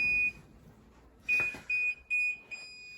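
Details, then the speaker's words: Older Whirlpool Duet dryer after relay replacement and interface board connection fix, shut off after running all day, where F70 once blocked restart: one high beep then three quick beeps; normal power-off, no fault lockout. "Hit the power button, it'll shut off. Before it would just, there, it's off."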